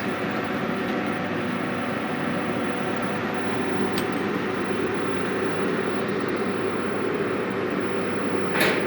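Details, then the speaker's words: Multipro EG 400A KR 400-ampere stick welder welding with 4 mm LB E7016 electrode: even, steady frying crackle with no sputters, pops or breaks; smooth, stable normal arc. "dari suaranya juga enak sekali ya. Mau LB mau RD itu sama dia. Bagus, lumayan bagus, ini enak."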